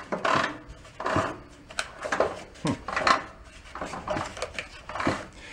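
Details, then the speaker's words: Toro riding mower with 18 hp Kohler Command engine that locked up during fall cleanup, flywheel turned slowly by hand: heavy, uneven internal clunks about every two seconds; something let go inside, suspected rod problem. Internal clunk. "rubbing right there no that clunk's not good they're not supposed to do that i still think we got a rod problem"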